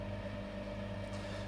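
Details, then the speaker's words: Vevor vacuum pump on a home-made vacuum fruit dryer with cold trap, second attempt, 10 mm pipe and larger-bore fitting: quiet even buzzing hum, constant pitch, no rattles; running normally, vacuum past 0.99, better than the earlier 0.98. "which is all good and temperature is dropping um vacuum pump buzzing away happily"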